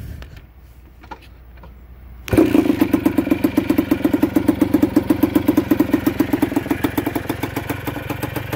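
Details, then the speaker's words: Kawasaki KDE90 two-stroke, a KE100-based bike built from spare parts with a 1980s KE100 carburetor, CDI and oil injection, first start with covers off and clutch unadjusted: catches, then a loud, raw popping idle; exhaust needs fixing. "it run and they got to fix the exhaust"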